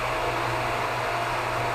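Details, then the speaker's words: Hot tub pump in pump room while draining the tub on backwash: steady even whooshing hum with faint constant tone, no knocks or surges; pump running normally before its sound changes. "Then you're going to wait for a change in the sound of the pump. So take note of what it sounds like at this moment,"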